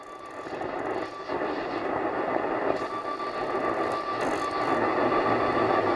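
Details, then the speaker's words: Nordmende Transita Deluxe portable radio bought at a car boot sale, tuned to long wave for Radio 4: rushing static roar with no clear station; very weak long wave reception. "is there very weak though for Radio 4"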